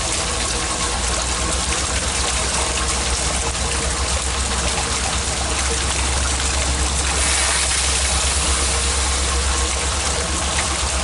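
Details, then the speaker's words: Sump pump discharge into a gravity transfer tank with a larger outlet pipe: constant rushing gush with a rough, gurgling hiss as air is sucked into the drain line with the water. "there's sucking air out of there you can hear it"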